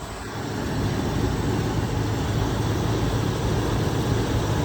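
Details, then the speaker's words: 1996 Land Rover Discovery 1 V8 with the factory 5-speed manual, idling with the hood open. An even, steady low rumble with no tapping or misses, and no visible leaks: a normal, smooth idle. "Sounds like it runs great. Pretty smooth, no visible leaks."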